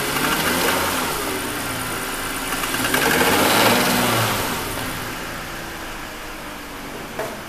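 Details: 2001 BMW 530i M Sport (E39) at idle: fairly even ticking about four a second, swelling briefly with a light blip; recently developed abnormal engine noise, cause still being investigated before repair.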